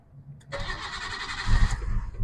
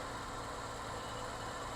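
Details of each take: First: Nissan R33 Skyline with existing idle issue, restarted after spraying part with brake parts cleaner; brief crank then stumbling, lumpy idle that never settles, runs fine after several restarts; rough running, cause unconfirmed. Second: Nissan R33 Skyline with an intermittent idle problem, owner suspects the idle air control valve: quiet, even idle with a steady low hum and no stumble or miss; once running it idles smoothly.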